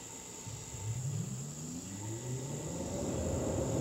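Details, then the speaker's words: X13 ECM indoor fan motor with new control board, first start in rotation-sensing mode after starting and stopping: soft hum climbing steadily as blower spins up; normal rotation-learning start. "and now it sounds like it's uh got itself figured out which way to go"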